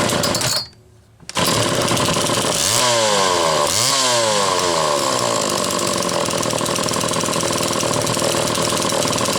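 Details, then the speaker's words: Homelite XL chainsaw (Zama C2S carburetor) restarted with no throttle to reproduce suspected flooding past the fuel inlet needle when warm; catches quickly, revs rise and fall twice, then settles into a steady, even idle with no bogging; starts normally. "well I guess that kind of blows up there just a little bit because it started just fine for me there and I don't think I've changed the tuning that much"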